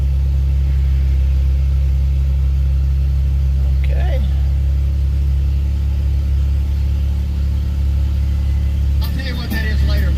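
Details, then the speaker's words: 2011 Jeep Wrangler JK, almost 130,000 miles, idling in the shop right after an oil change: steady low hum with no knocks, misses or rattles; oil pressure good, no warning lights, no leaks; normal idle. "okay oil pressure looks good okay so no warning lights telling me you have low oil pressure so that all looks good"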